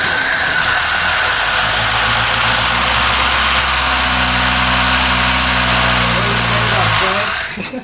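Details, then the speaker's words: 1974 Ford Capri with 2.0 Pinto engine, sat under a tarp 15+ years, starting after mud wasp nests were dug out of the timing cover and cam timing reset: catches and runs evenly for several seconds under heavy hiss, then cuts off. Timing now correct. "fantastic dude well yes hey i i timed it right yeah yeah i mean it is pretty you know it's pretty simple dirt simple"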